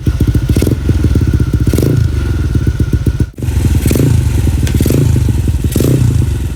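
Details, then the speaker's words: Motorcycle engine freshly built to full up-spec with a clutch conversion, just after its first start; a strong, even low thump with crisp regular firing, blipped up and back a few times and settling cleanly each time. "Alright geng. So tadi motor dah hidup. Motor dah hidup."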